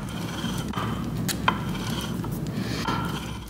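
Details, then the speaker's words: Ford 9-inch third member during assembly, turned slowly: uneven clacking and grinding as the ring and pinion slap on both drive and coast sides. The contact pattern is too shallow, toward the heel, because pinion depth is not deep enough. "(Erick)...the pattern being not deep enough, (Erick) the gears are slapping each other, both drive and coast side."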